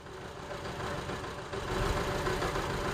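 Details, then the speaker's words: 2007 Honda CR-V with P0304, idle and stalling, injector already replaced, scoped at idle: uneven stumbling beat about three pulses a second; cylinder misfire from no injector pulse, which returned when the injector harness was pushed. "and right now I'm not seeing them blue yes I am but it's not firing at all I wonder why they say they replace the injector and still having that issue"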